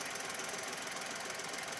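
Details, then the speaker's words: Cheap old car with rust and weird noises, open hood at idle: fast, even top-end ticking, steady with no rev change; owner thinks it needs oil, cause unclear. "Yeah, should get fixed. Probably needs some oil. It sounds like it needs oil."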